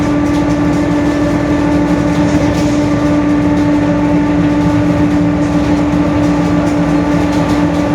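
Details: Marcopolo Torino S 2018 body on 2021 Mercedes-Benz OF-1721 BlueTec 5 diesel city bus, recorded on board while driving at steady speed: a constant low drone and growl under the diesel, from a growling, worn rear differential.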